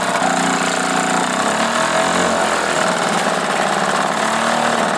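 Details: Old single-cylinder Johnson 2 HP two-stroke outboard after new piston rings, adjusted points, rebuilt carburetor, new head gasket and impeller: fast, even buzz at steady speed without stumbling or surging; normal running.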